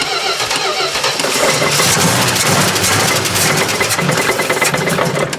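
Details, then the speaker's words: 1970 Plymouth Duster 340 after sitting 30 years, fuel pump condition unknown: long cranking with brief bursts of firing kept alive on brake cleaner that die back; not yet picking up fuel from the tank. "She's not picking up fuel yet, but it might take a minute."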